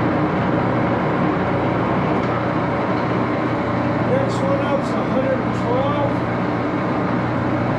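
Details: Axelson 14x30 heavy-duty gear-head lathe, headstock on AW68 hydraulic oil: steady mechanical hum with gear whine changing pitch as the headstock moves through speeds; somewhat noisy but healthy.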